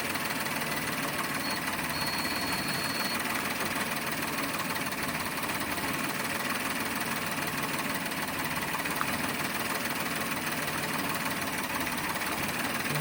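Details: Toyota Wigo automatic with low power and misfire: busy, uneven idle with an irregular stumble and knock under the engine note, consistent with a misfiring cylinder.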